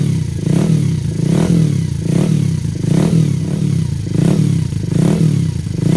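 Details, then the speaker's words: Yamaha SR250 built for more power, first start after rebuild with new piston and bore and thinner copper head gasket: big single thumps with a sharp puffing chuff on each blip; owner suspects an exhaust or head gasket leak. "That sounds fucking cool, but I've either got an exhaust gasket leak or a head gasket leak, and obviously a head gasket leak sucks."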